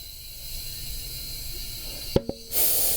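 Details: BMW K1200R Sport, DIY change to a Conti Sport Attack 3 tire in hot weather: steady air hiss, then two sharp pops a split second apart and a rush of air as the tire bead snaps onto the rim.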